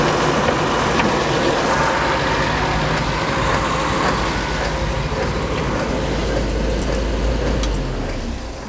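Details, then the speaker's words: 1969 Citroën DS, engine running while suspension raises: loose, quick clicking about three a second; suspension spheres are bad, so pressure never builds and the pump deadheads against the regulator, which keeps bypassing. "so what was that clicking sound it's actually the Spheres are actually bad and so instead of building up pressure it's deadheading against the regulator and it's just bypassing"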